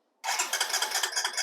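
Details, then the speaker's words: 2005 Honda TRX250EX ATV, plug out on the wire for a spark check: quick even starter cranking with no firing, no spark while cranking, then it fires as soon as the starter button is released; cause undiagnosed. "no spark now i'm going to release see how it tries spark then try that again no spark and then it fires soon as i release"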